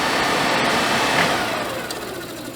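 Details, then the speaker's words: Suburban RV propane furnace bench-run on 12 V out of the RV, new fan motor ordered for suspected bad motor; noise worst at shutdown: blower winds down with rough, scratchy edge, possibly a fan rubbing on something. "it's not as making as much noise as it was, but it still sounds rough to me. So, we're going to go ahead and tear it down. We may we may just find that a fan's rubbing on something."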